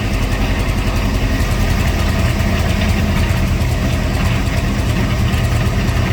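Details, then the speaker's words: C3 Corvette carbureted V8, possibly with an aftermarket cam, after a carburetor tune and idle adjustment that cured flooding and a fuel smell: deep, steady idle with an even rumble and no stumble or miss; normal idle. "I mean right now it's sounds like it's running pretty good"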